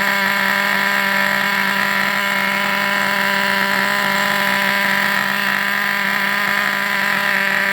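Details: Vintage Traxxas nitro RC buggy engine on the bench: steady high-pitched buzz at even speed with no stumbles or misses; running cleanly.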